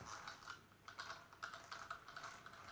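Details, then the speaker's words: A959B RC car with a full metal upgrade, run at high speed until meshed in: light, even ticking of the metal diffs and gears turned slowly by hand, with no catches or clunks, a smooth gear mesh. "It's been run high speeds, everything, so all the metal diffs and cogs and everything's all meshed."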